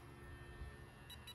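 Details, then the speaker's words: RC speedboat on a lake: three quick high beeps faint over outdoor background, the radio's warning that signal is weak and battery is running low, though some charge remains. "esse barulhinho aqui ó quer dizer que o sinal tá fraco quer dier que a Bat já tá"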